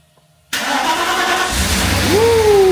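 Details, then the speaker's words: Mercedes V8, either the R129 SL500 or W124 E420, sitting unused for years, starts first try after a new module is fitted, then settles into a steady even run on all cylinders with no stumble; normal start. "this car has been sitting super long so don't forget get it doesn't run perfectly fine but it does for it being for it being on the side for the last 2 3 4 5 whatever years so it's running on all cylinders"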